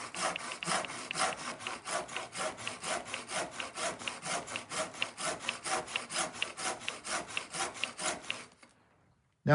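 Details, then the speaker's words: Irwin tenon saw after reducing tooth set with a Trend diamond plate, cutting oak in a vice: steady, unbroken rasping strokes about three and a half per second, less skipping, quicker and easier to start. "I It feels better. Definitely less skipping and it seems to be cutting quicker."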